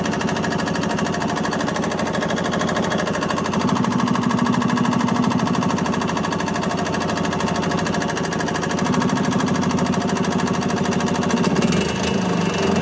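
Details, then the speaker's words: 1986 Yamaha G1 gas golf cart, two-stroke, after carb cleaning: a steady, even putter at fast idle with no stumbles. It had died while driving and then cranked without starting, with fuel smelling like diesel. Repair successful, clamps not yet refitted. "Okay, successful repair."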